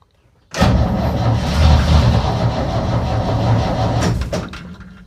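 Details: 1965 Chevy C10 that sat in a field, first start attempt without a jump box: starter churns about 3.5 seconds unevenly and the engine never catches; slow crank, cause suspected, not confirmed.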